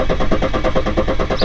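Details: BMW F11 530d N57D30 on a hot day: diesel cranks with an even rhythmic churn and shows RPM signal but never starts. Low-pressure pre-supply fuel pressure is too low; code P016D, rail pressure too low on starting.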